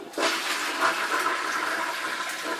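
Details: Toilet after clearing a clog with a toilet auger: a strong rushing flush with a full gulping siphon that drains cleanly, then a steady refill hiss with clean water coming in; normal complete siphon flush.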